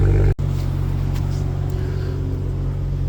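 Steady, even low hum with no knocks, ticks or misses; the engine idles smoothly and sounds healthy.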